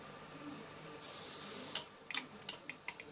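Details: Old HP 17-inch CRT computer monitor that shuts off, power connected, heavy load drawn: sharp dry high-pitched ticks, a fast burst then about five per second, no hum; power supply ticking.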